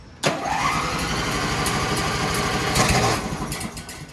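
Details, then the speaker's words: Shop tow tractor with a fully dead battery, started with a compact jump pack and choke on. Quick, even, strong cranking that catches and settles into a steady run within seconds. "Listen to that thing crank now. What? I tell you what. And just like that, we're going."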